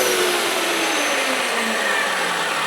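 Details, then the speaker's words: Hoover Elite Power Scrub carpet steam cleaner used as a vacuum. The nozzle loses contact where the carpet dips to the threshold and the baffle popper rises, so the motor whine climbs higher as suction is lost, then returns. "because this carpet dips down to the threshold a little bit, and I lost contact with the suction. The little popper came up, and now it's back."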